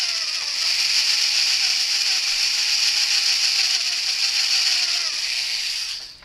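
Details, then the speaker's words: Drilling hardened steel motorcycle light bracket for a Suzuki V-Strom 1000, around a 5/32 bit with oil: harsh grinding with uneven knocking about three per second as the bit grabs, risking snapping. "When you hear it knocking like that, it's grabbing, and you want to just be careful it doesn't grab and snap the drill bit off."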